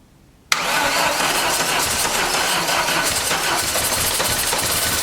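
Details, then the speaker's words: 1989 Dodge Daytona from a junkyard with a weak battery, cranked on poured-in gas that may be old: hard cranking with rough, uneven catching that never settles into an idle; it wants to run but lacks fuel pressure; fuel starvation. "she wants to run you just don't have the proper fuel pressure going to it"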